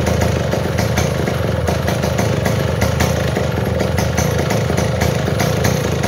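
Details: Model 070 chainsaw, brought in for no power and backfiring, holds a steady, even two-stroke idle burble with no misses or pops; normal idle.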